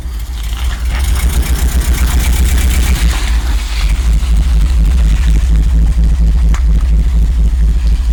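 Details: 1986 Rolls-Royce Silver Spirit II, parked since 2022, just started cold with some bad fuel: deep idle with uneven, lumpy beat and irregular stumbles, a dead cylinder misfiring; plan is new spark plugs and checking distributor cap and points.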